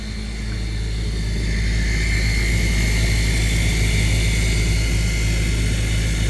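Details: Maytag dishwasher during the wash cycle only: loud, steady low drone and buzz that builds and holds, a sudden vibrating grind; cause unknown.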